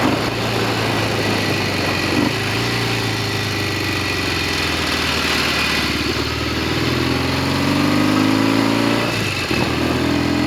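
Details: Norton Commando 750 road test after a rear wheel clunk fix and genuine Amal float bowls fitted to replica Amal Concentric carbs: steady twin drone with wind rush, no clunks from the rear; rear wheel now running quietly.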